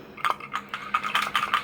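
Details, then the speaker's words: Sunset SU100DC portable suction machine, dry canister valve shaken by hand: light, loose, uneven rattle. This is the normal free valve; soaking it stops it working until fully dried. "You hear that valve in there, and if you get that wet or soaked, it doesn't work right."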